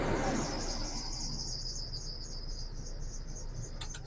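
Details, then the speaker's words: Manual car idling after start, air conditioning switched on: thin high squeal holds steady over quiet idle, appears only with A/C on and stops when A/C is turned off. "screams, you turn it off, goes away."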